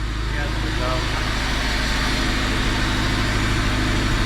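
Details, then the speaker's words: 2005 Acura RSX Type S K-series with DC Sports header, after fixing the leaking header/flex pipe: even, steady idle with firm low exhaust note, no ticking, puffing or leak hiss; exhaust now exits properly out the back. "no it's it's fixed dude it sounds great now all the exhaust is coming out the back sweet"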